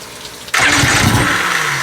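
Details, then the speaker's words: 1997 Johnson 115 OceanRunner outboard, first run in about a year, with fuel confirmed reaching it: quiet cranking breaks into a sudden loud sputtering pop with a little smoke but won't settle into a clean run. Struggling to start, cause not confirmed. "You're right. It's popping. It just popped. I saw a little bit of smoke."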